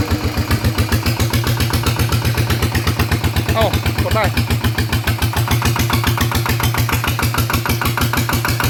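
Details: Thai RT single engine with cam, run at low rpm: strong, even thump about nine beats a second, steady, no knock or miss; running sound.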